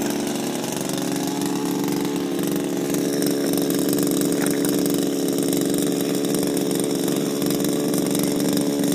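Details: Shindaiwa power broom after refurbishment with new carburetor, gaskets and recoil, running without air filter: steady, even two-stroke buzz holding one pitch, no misses, surging or rattles. Clean, healthy running.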